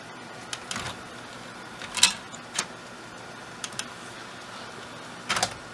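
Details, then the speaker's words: Sylvania DVD/VHS combo loading a DVD: a few soft clicks and brief whirs as the disc seats and the lens focuses, almost no ticking or lens bottoming out; normal disc loading and focusing. "actually i didn't hear as nearly as actually almost no ticking as you can hear as it's focusing the lens you can hear the lens bottoming out or that was the tape and uh i didn't hear any of that it just kind of loaded the disc no problems"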